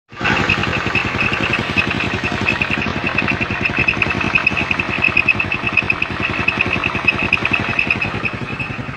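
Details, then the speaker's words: Honda Beat scooter (carbureted or FI) CVT: steady high-pitched squeal over the running engine, traced to a worn, dry driven pulley. "e kelunya seperti yang pada video tadi yang kita videokan dia suaranya berdecit berdecit ya"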